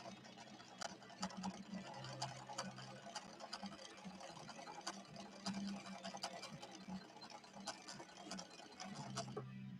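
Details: Late-1970s Viking Husqvarna 6460 Colormatic after several repairs, sewing a red decorative stitch with Gutermann polyester thread and a 90/14 Schmetz universal needle: quiet even stitching rhythm, light regular ticks and soft motor hum, no knocking or binding; healthy normal running.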